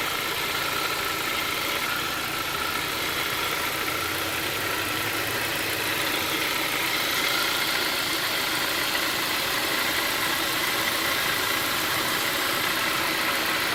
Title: Weird engine sound